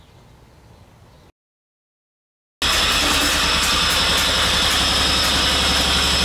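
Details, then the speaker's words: Countax ride-on lawn tractor running with the blade engaged: a dry high rasp over the steady engine drone from a noisy worn clutch bearing; the bearing can't be replaced alone, so the whole clutch must be changed. "I don't know how well you could hear that, but the clutch bearing is quite noisy, so that is going to have to be changed."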